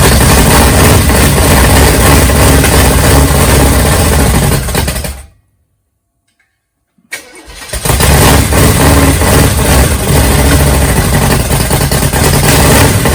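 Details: Big-cam 454 Chevy big block on an engine stand, early start with no tuning, for a rat rod: catches into loud choppy loping idle about three beats a second from the big cam; camera mic may make it sound like rod knock.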